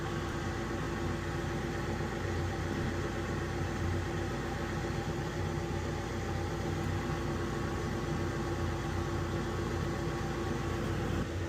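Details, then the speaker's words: Weil-McLain HE boiler (integrated control 1013-200) firing: steady drone with rough buzzy edge under constant air rush; technician says blower sounds tired, vibrating, mounts might be tired. Suspected, not confirmed. "I gotta be honest with you, this sounds a little tired. And this is the noise you're hearing."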